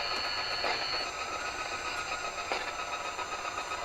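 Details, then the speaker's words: Roberts RT22 radio under restoration, switched to longwave with a test transmitter: steady hiss and hash with a fast, irregular ticking buzz and no station; this is heavy local longwave interference. "Let's switch over to longwave and we'll pop the longwave transmitter on. Turn that down a bit. Noisy old thing. So much interference in here on longwave."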